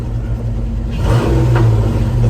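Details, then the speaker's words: Ford Mustang SN95 after new fuel filters and fuel priming, fixing sluggish throttle response and acceleration; engine picks up cleanly and evenly as revs rise, no stumble or hesitation; normal revving, fuel delivery sounds healthy. "guys we fix the problem no more struggle no more sluggishness safe to say"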